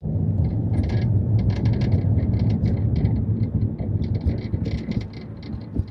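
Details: 2019 Mazda 3 GT Sedan AWD with Bose speakers: irregular light rattling and buzzing clicks over heavy low road rumble from the rear on rough roads; the rattle also occurs when music bass is increased; cause unknown.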